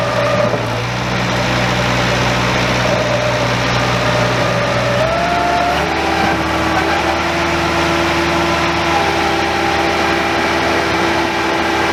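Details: Very old Bobcat 825 skid steer: engine runs steady while a strained hydraulic tone drops and shifts under load and it won't lift its own bucket; owner suspects a relief valve stuck open or going over relief.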